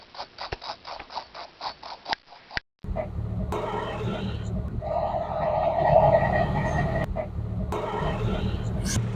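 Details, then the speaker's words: Engine running with scraping bursts and a rough whirring howl in spells when the clutch is pressed, from a worn pilot bearing in the flywheel that lets the gearbox shaft spin freely. "Este elemento cuando está dañado, se podría escuchar al momento de que pisas el clutch sonando algo así."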